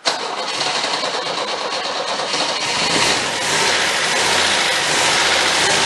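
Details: 1977 MGB after budget rebuild, electric fuel pump, wiring still faulty: engine catches quickly, settles into steady even idle with no knocks or misses; runs and sounds good.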